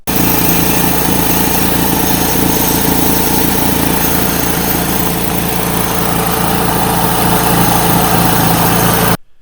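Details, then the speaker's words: 2007 Saturn Sky idling with lean-fuel code, before tightening loose catalytic converter bolts: steady idle with light tick about four times a second; exhaust leak at catalytic converter flange, gone after tightening. "all right so here's some footage of how the engine sounded before I tighten down that catalytic converter"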